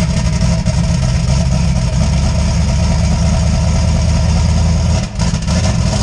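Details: Deep, steady, even idle with a smooth low rumble and no knocks or misses on a 358W 80mm-turbo Fox Body V8 just fired after the injector ground was connected; the engine is running cleanly.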